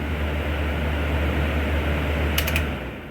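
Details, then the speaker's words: 1994 Whirlpool Designer Style 2-ton (~25,000 BTU) R22 window air conditioner, fan only on first startup in a cool winter shop: smooth steady airflow hum with an even low drone, no rubbing, so the fan motor is healthy. The dirty condenser has good airflow. "The fans never die, so of course the fan runs. Got good airflow through the condenser though, that's a good sign."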